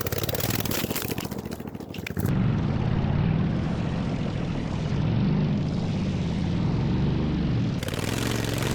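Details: Racing lawn mower after a 2.4-hour race, repaired cracked frame and steering, test ride without exhaust or hood; loud, raw unmuffled bark from the small engine revving steadily, no misfire or knock; engine healthy, needs an exhaust.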